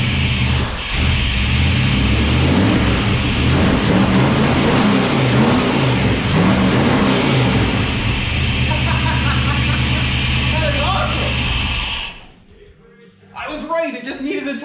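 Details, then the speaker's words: Small-block 400 cu in V8, just fitted with a JEGS Bandit EFI set to 750 rpm warm idle; fuel pump pressure is doubted. It fires and runs steadily with a few rev blips for about twelve seconds. Healthy running. "okay well there it is there's the Jegs EFI running on a small block 400."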